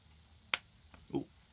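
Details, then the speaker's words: 3 kW Renoster inverter connected to a 12 V battery through a bulb for pre-charge: one sharp snap as the lead touches, then handling noise; inrush arcing as input capacitors charge, leaving a mark; once pre-charged it no longer sparks. "But did you hear the little crack it made? It's even marked the top of the thing. So there was, there you see, there was a bit of a charge going in."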